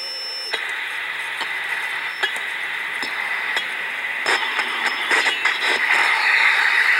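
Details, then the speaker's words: Window air conditioner charged with nitrogen, checked with a Delcon HP 4905A ultrasonic detector whose probe converts inaudible leak sound to audio: harsh hiss swells as the probe moves along the coil joint; refrigerant leak located. "this is charge right now with nitrogen want to find Escobar just screaming with the league so what's doing is taking the leak you can't hear by ear and going through and down converting to where you can hear and that's"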